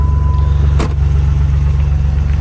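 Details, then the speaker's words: Used 4.0 engine with about 800,000 miles, possibly fitted with a 4.2 crank (owner unsure), running: even, deep six-cylinder rumble with steady beat, starts right up, no knocking or ticking; healthy normal running engine. "still running great no noise from the motor no knocking none of that sounds absolutely awesome guys"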